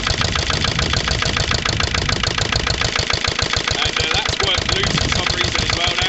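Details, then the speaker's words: Lister LD1 single-cylinder diesel on a chilly morning of about 5–6°, a month and a half after a fuel filter change, oil change and bleeding: it thumps about 200 beats a minute, slightly uneven and lumpy. Runs rough; owner suspects an air lock in the fuel lines. "now so you can probably tell from the way starting sight is right at all running next really just isn't right it"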